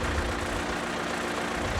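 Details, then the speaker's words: Bandit 200XP diesel wood chipper at start-up, Murphy oil-pressure switch held in: steady low diesel idle with an even rumble and no knocks or misses, levelling out at low rpm; normal idle. "so we're gonna hold that in and we're gonna start the machine it's gonna read and level out at a low rpm for now"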